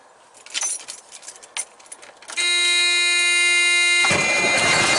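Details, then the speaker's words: Big truck diesel, first start after fitting the starter and cleaning and re-ending the battery cables after a no-crank no-start: brief high starter whirr, catches within seconds, runs a bit rough and jumpy at first; healthy quick start. "why is jumping like that but it will smooth out I guess it's just gold sure started quick that was good"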